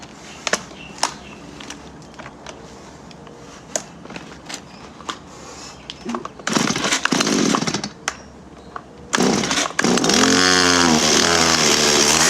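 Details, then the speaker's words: Stihl MS-170 chainsaw, 25 years old, refusing to run: several pulls, short sputtering run that dies, then catches and revs unevenly; owner suspects fuel starvation, fixed in the end by servicing. "It sounds to me like it's running out of fuel, because okay, so these are pretty easy to work on."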